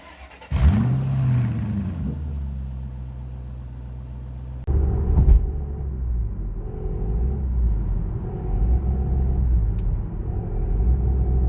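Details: Noise when declutching: low rumbling drone from the bellhousing changing as the clutch is worked; the clutch release bearing has disintegrated, shedding plastic particles found in the bellhousing.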